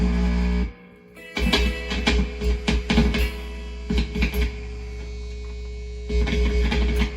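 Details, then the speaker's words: Old Sears electric guitar through an amp turned up loud: no output from the strings, but a steady low mains hum appears when touching metal parts; owner suspects the volume knob or a wiring line, with pickups possibly fine. "we get nothing if I touch anything metal we get a lot of humming right"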